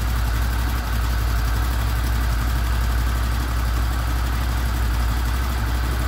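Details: Honda VFR800 VTEC V4 with 58,200 km, first start after timing chain replacement (chains only, sprockets kept): deep, steady idle with an even low rumble and no ticking or chain rattle; normal idle.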